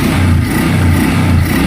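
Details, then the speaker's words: Honda Wave 125i motorcycle, returned after 12 years, being restored, just after a full-wave electrical conversion; revving, charging 13.4 V at idle to 14.9 V; steady smooth single-cylinder drone, no knocks or rattles, engine sounds healthy. "So yun na mga kadoy, okay na okay. Ang ganda ng tunog ng makina. Talagang kailangan lang ng himas ito."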